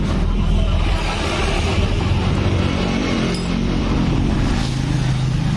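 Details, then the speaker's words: 2018 Honda Beat digital scooter, oil recently changed, engine suddenly noisy especially climbing: loud, rough, clattery running with heavy low rumble; slack cam chain from a weak cam chain tensioner, no engine teardown needed. "berisik nih suaranya Farah suara tidak wajar"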